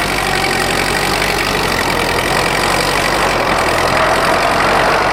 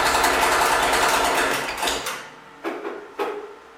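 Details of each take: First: Rebuilt Ford tractor pulling in high gear on the driveway: even firing, smooth under load, no knocks or misses; burns clean after the rebuild, unlike owner's other oil-burning tractor. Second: Freshly rebuilt Ford tractor at first start: rapid light ticking clatter over the engine until shutdown, then clunks; fan hitting the shroud and a belt squeak.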